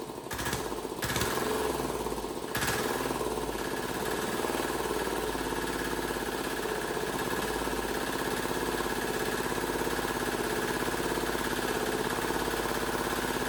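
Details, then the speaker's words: Cheap Chinese diesel swapped into a Wheel Horse 314H tractor, started after priming fuel to fix a no-start: a few cranking stutters, then it catches and holds a steady, even clatter with no misses; normal running. "I hell yeah man has this thing been a struggle I'm so glad to hear that thing run"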